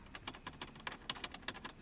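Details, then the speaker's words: Light, irregular metallic clicks, about seven a second, from four loose 7mm bolts on the dash bracket under the steering column of a 2014–2019 Silverado 1500/2500HD, wiggled with the lower panel removed; factory-loose, fix is tightening, ideally with Loctite. "what happens is they get they get nice and loose from the factory when you buy them when you buy these trucks the very common issue"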